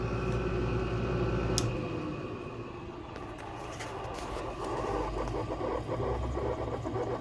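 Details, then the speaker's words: Goldstar (LG-made) R22 air conditioner with LG compressor, switched off: motor hum fades quickly as the fan spins down with a soft uneven gasping whoosh; bearings sound smooth. "Your frickin' sound goes awfully quick. I always thought of that sound, like, it always sounds like it's like gasping for air or something."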